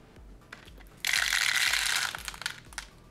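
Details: Siemens EQ6 espresso machine, about 8 years old, brewing a test coffee after heater replacement with the unit warmed up: quiet ticking then about a second of harsh gritty crushing as beans feed through; the grinder runs steadily and normally.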